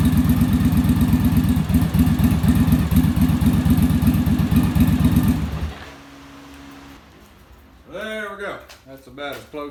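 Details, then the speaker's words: Yamaha Virago V-twin idling after final on-engine carb sync with manometer (following bench sync, rear carb idle stop set); even loping idle, steady rhythm, no hunting; carbs balanced, idle much smoother. "so we should be in pretty good shape now our idle's a lot smoother and then our acceleration i'll be a lot better because the carburetors aren't fighting each other"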